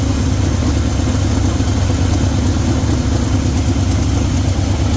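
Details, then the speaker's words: 1972 Chevy C20 V8, long stored, with a loping, uneven idle and occasional missed pulses. Thermometer readings show cylinder 4 running cooler, so a misfire there is suspected; not confirmed. "So there's two. There's four, which is, you can see it's down a little bit. Makes me think we might have a misfire on cylinder 4."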